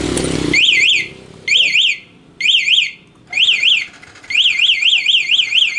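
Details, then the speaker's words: Yamaha Vixion new LED motorcycle with newly installed remote alarm, start attempted on the ignition with the remote locked: loud warbling high siren in repeated bursts, about one a second, engine not starting; immobiliser alarm working as intended. "motornya enggak kan hidup kalau posisi kalau posisi remotenya kita kunci kan"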